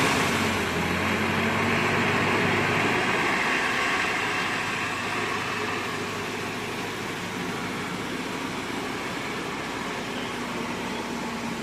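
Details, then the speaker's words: 1993 Nissan 240SX after head gasket job, unplugged connector reconnected: steady, even idle around 1000 rpm, smooth regular pulses, quieter, no stumble; normal idle. "Dude, that thing sounds so good. is idling about a thousand. It sounds a lot quieter."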